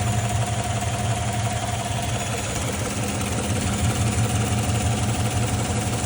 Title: L83 5.3 suspected lifter tick ??